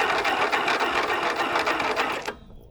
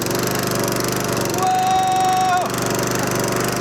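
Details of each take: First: Abandoned 1980s Snapper riding mower, cranked with the spark plug out, jumped from a car battery grounded to the engine. A light, fast whir with no compression beat or firing fades out: weak cranking from a dead battery. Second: 1980s Snapper riding mower, small single-cylinder, recovered abandoned, after new battery, battery cable, wiring fix, fresh oil and gas: fires right up, thumping at a steady fast even beat until shut off and spinning down; normal running.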